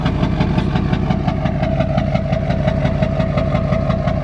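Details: Duramax diesel truck smoking at idle: clatter with a steady, slightly uneven knock about three per second; rough idle, owner suspects a dirty injector stuck slightly open, not confirmed.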